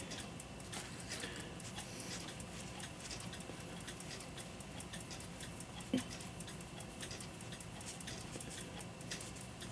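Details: Railroad house cuckoo clock test run after rebuild (lantern pinion trundles, bushings, two pivots, chain wheels, cuckoo mechanism repaired): quiet, steady tick-tock with even beat, running properly.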